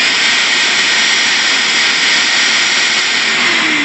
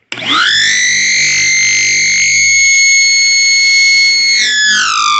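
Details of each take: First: Vacuum with the hose disconnected and the inlet held by hand: steady even high-pitched rushing roar with no wavering, the normal motor sound before the screaming-hose comparison. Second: Shop vacuum with a 24-foot hose held open, nothing attached: piercing steady scream with stacked high tones, sliding down as the motor spins off; normal without hose; cause not stated, plan to cut hose shorter.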